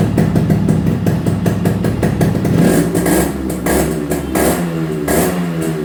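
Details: Restored Yamaha RX two-stroke, full engine rebuild and repaint on customer's bike: crisp even popping at idle, climbs cleanly on throttle blips, no knocks or rattles; healthy.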